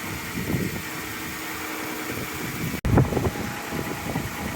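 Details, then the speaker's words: 2013 Dodge Caravan, faulty fuel pump relay in TPMS module jumped with wire: engine restarted, catches and settles into steady even idle with fan noise behind; normal start and idle, works every time. "uh turn it off please turn it back on see it works every time"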